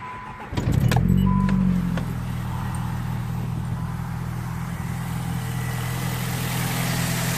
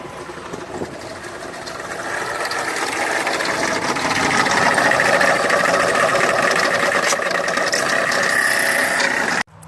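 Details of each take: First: Alternator before-and-after comparison: engine catches, flares briefly, then settles into a steady, even idle with no whine or squeal; normal idle. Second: Engine running with a steady high whine over the idle, then it cuts off abruptly; bad alternator noise, before replacement with a new alternator.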